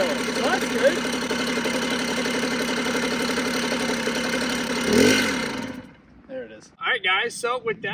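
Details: Rebuilt Puch Maxi two-stroke moped, first run after the build, push-started: a buzzy note holding fairly steady. It runs cleanly. Normal running.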